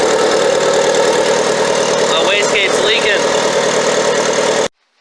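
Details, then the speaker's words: Mitsubishi Evo 8 first start after installing FP Red turbo, fresh Valvoline VR1 20W50 oil: rough idle with loud steady hiss from dump-to-atmosphere wastegate; wastegate leaking even with signal line disconnected, cause not yet found. "Okay guys, The first fire didn't go as planned. You saw I had a wastegate leak. I'm going to have to try to figure out why it's leaking."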